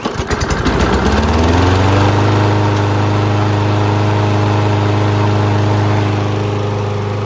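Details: 2016 Toro Recycler push mower, with carburetor tipped down and primer dry: quick pull-start catches within a second, then settles into a steady, even single-cylinder drone with no misses or surging. Running healthy.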